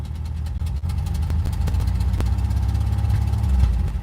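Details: Van engine just started after a long crank, mic windscreen off. A lumpy, uneven idle with irregular low thumps and stumbles: rough idle. Oil is low; cause not confirmed.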